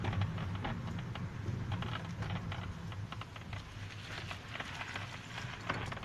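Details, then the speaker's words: Hyundai i40 driving: irregular sharp crackles and ticks over low road rumble from the upper front dash panel under the windshield, which is loose and creaking. "вот так вот трещит панель на хендай ай 40"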